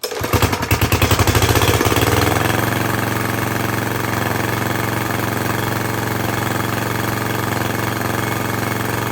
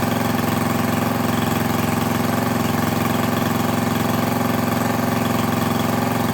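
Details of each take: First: Craftsman lawn edger with a 140cc engine running with the cover cut off. Loud uneven pops at start, then a steady low putter that never reaches full speed. It runs poorly, and there is a lot of dirt in the carburetor and intake. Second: Craftsman lawn edger, 140cc engine, after reassembly to fix poor running and dirt found in the carb; small engine holds a steady even idle without stumbling or surging, owner unsure if it should run faster.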